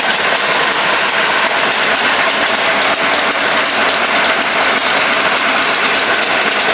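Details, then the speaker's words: Dodge 440 big-block for a '69 Charger R/T on a test stand, about 45 minutes run, roller cam, lifters and rockers after two failed Comp Cams: a steady, even idle with no misses, knocks or tapping. It runs cool with no leaks. "oh man I am so relieved that this thing sounds good and doesn't leak it runs cool"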